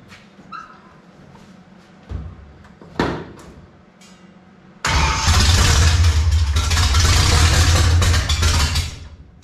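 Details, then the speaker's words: 1955 Chevy small block V8, first start after sitting roughly 10-12 years: a few short cranks and coughs, then catches and runs loud and uneven, surging rather than idling smoothly; fires but won't run well, oil pressure present. "All right, so we get fire, but she don't want to run that good."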